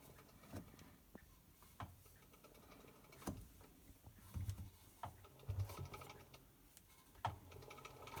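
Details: Hotpoint BHWMD732 washing machine, under 12 months old: irregular dull clicks and soft thumps, about one a second, from the slowly turning drum, mostly when spun anti-clockwise. Nothing found stuck in the drum; the cause is unknown.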